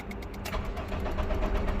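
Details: Honda Civic after engine replacement, crank no start: starter spins engine with even cranking rhythm but never fires.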